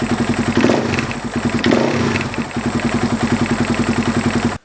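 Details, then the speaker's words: Husaberg FX450 single-cylinder after installing a Dirt Tricks timing chain tensioner to fix a cold-idle knock from the weak stock hydraulic tensioner: a steady idle thump with light blips and no knock. Normal idle after repair. "so let's fire it up and see how it sounds I don't know about you but I don't hear any noise"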